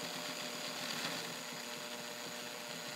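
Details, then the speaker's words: Fully overhauled and restored all-steel Morse Fotomatic IV zigzag sewing machine by Toyota, with a size 16 needle, needle speed set to slow: quiet light ticking about three a second over a soft motor hum, smooth and even, normal. "So I'm gonna slow my needle down, and you can see, notice that that's a pretty nice slow sewing speed for when you're wanting to go slow."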